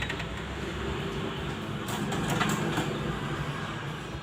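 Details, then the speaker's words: Photocopier warming up gives a loud, steady grinding rumble with brief rattling bursts, and paper won't feed. Sound persists with the drum removed, so the drum and rear gearbox belt are ruled out; cause still unknown. "bunyi namun ketika drum ini dilepas ternyata suaranya masih berisik artinya Dream Ini aman dan begitu juga dengan gear box belakang beltnya itu aman"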